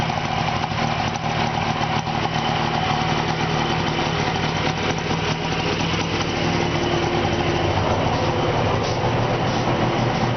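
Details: 1970 Subaru 350 Young after its second rebuild runs on both cylinders again: an even, steady two-cylinder putter with no knocks or rattles, a healthy smooth idle; an earlier strange noise was traced to a loose pulley.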